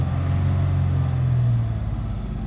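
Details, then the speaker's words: Toyota Highlander with random multiple-cylinder, cylinder 1 and cylinder 5 misfire codes, before coil replacement: rough, uneven low rumble that never climbs past about 2000 rpm despite held throttle; misfire from a suspected failed ignition coil limits revs. "But the first one we start with the coil, ignition coil E, and then we'll start from. So it's not going more than."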